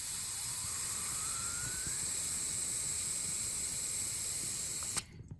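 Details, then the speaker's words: About 40-year-old Weil McLean boiler system being cleaned for kettling and knocking: steady sharp hiss for about five seconds, then an abrupt cut-off as trapped air bleeds from a baseboard vent before water comes out. "This way when it squirts out, it should squirt out air first. Hear the air coming out."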